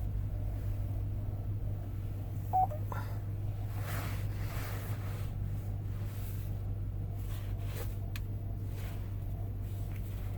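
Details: 2007 Chevrolet Tahoe LTZ 5.3 at 35,000, idling with fan and radio off. A steady low drone with a faint irregular tick over it. The noise quiets only slightly as the engine warms; cause unclear.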